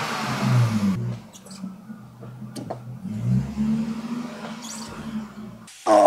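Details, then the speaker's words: 1998 BMW E36 323 straight-six left running for about 10 minutes with an additive before oil change, microphone at the exhaust; deep even rumble swelling and easing with throttle, no misses or rattles; healthy note. "I got to say even though this car is definitely in a rough shape it just sounds awesome let me put my microphone up to the exhaust real quick"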